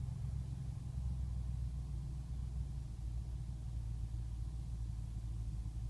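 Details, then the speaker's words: 2005 BMW 645Ci E63 V8 after sitting overnight, check engine light on, warm afternoon: low, slightly uneven rough idle with occasional tach stutter, milder than usual; worse below about 65°F, smooth when warm; dealer smoke test found no leaks. "the camera is even shaking from it running a little rough it's not quite as bad as when it's colder outside but watch the tach it may stutter just a little bit"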